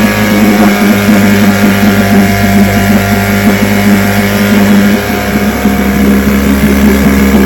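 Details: Vintage two-stroke outboard (restored then repaired), 5-minute run, started after extra primer pumps; steady, even buzzing drone without stumbling or surging, ran good.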